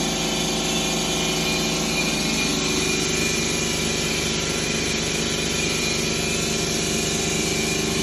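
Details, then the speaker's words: 2011 Ford Escape 2.5L with P0300 codes, misfiring on cylinders 1 and 2: uneven, lumpy idle with an irregular stumble about twice a second over bright top-end clatter; low compression, cylinder 2 valve found burnt after engine removal. "So I've been having a misfire cylinder number 2 and 1."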